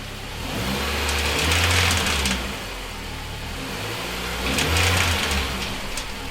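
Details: MINI R50 One at idle: steady idle with uneven metallic rattle swelling in slow waves from the transmission area with clutch pedal up, stopping when clutch is pressed; gearbox or clutch suspected, unconfirmed.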